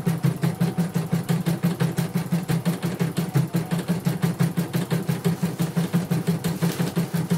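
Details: Portable embroidery machine from Sekayu, South Sumatra, stitching after mainboard replacement and LCD and touchscreen rework. Crisp even stitching beat near three per second over a steady motor hum. Runs smoothly and normally with a good result.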